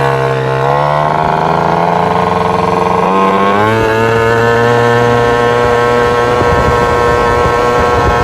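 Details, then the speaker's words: Vento Triton R4 carburetor after fitting a bigger main jet to regain top speed: revs slowly with soft, bubbly, gurgling note and no pull, better than before but still boggy; too rich, owner plans going two jet sizes down. "all right so better than before but still real boggy I'll give you guys a rip so you can hear what I'm talking about"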